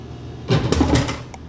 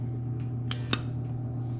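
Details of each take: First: Dixie Narco DN1 180/105-5 soda vending machine (about 1975), fed dimes for a root beer: a short mechanical whir, then clunks as the can drops and lands, then a click; normal vend cycle. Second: Old soda vending machine (circa 1975–80) not cooling: steady fan hum then two sharp clicks from the start relay as it grounds out, compressor never starts. Compressor is locked up; cooling deck needs replacing.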